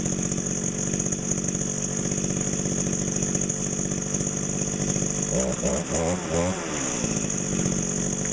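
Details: Mid-1990s Echo GT2000 two-stroke trimmer, warm start in about 90°F heat, replacement carb fitted about 2 months, sat outside 3 weeks: steady high-pitched buzz and clean blips, no bogging or dying; runs great.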